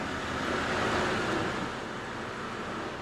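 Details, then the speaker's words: BMW E92 325i N52 manual at idle: steady rough rumble with a faint regular churn three or four times a second. Owner suspects a dry belt tensioner and possibly the fan. "it's that noise that hopefully you can hear now and i'm fairly confident it's the dry belt tensioner you can even hear it here"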